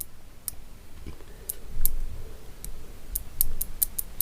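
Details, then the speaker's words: Relay bench test: sharp, dry single clicks at uneven intervals as the coil is energized and the relay pulls in cleanly. The relay works normally. "है और यहां पर sound भी कर रहा है तो इस तरीके से हमारी जो रिलीज है वर्क करती है"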